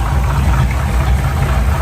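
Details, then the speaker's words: Classic V8 truck with points ignition, power steering and brakes: deep, steady idle with no misses, knocks or surging; normal idle, though a belt squeal and slight exhaust leak are noted. "That really runs nice and smoothly."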